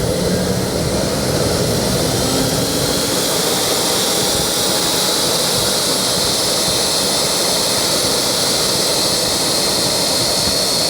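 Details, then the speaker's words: KJ-66 model jet turbine after a home service (broken internal fuel lines, misfire fixed) on homemade test bench with Arduino/ESP32 ECU: smooth, steady high-pitched roar with even hiss, no scratching or rattles; normal run. "das ist ups das hört sich schon mal sehr gut an"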